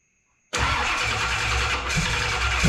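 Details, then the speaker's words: Holley Dominator EFI car restarted after washers were added under the screws so the throttle blade is no longer held open: fires at once then drops into a slow, lumpy, barely-holding super low idle, as expected; TPS auto-set to follow. "all right just as i suspected super low idle do a tps auto set now"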